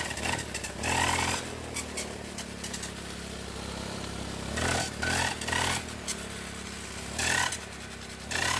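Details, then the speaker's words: Small four-stroke brush cutter at full revs in bursts has a harsh, rattly edge at speed; owner suspects the gear head is failing from lack of grease. "ยังทั้งที่หัวเจียรครับแบบนี้สงสัยหัวเกียร์จะไปแล้วนะครับสงสัยไม่ได้อัดจารบีครับ"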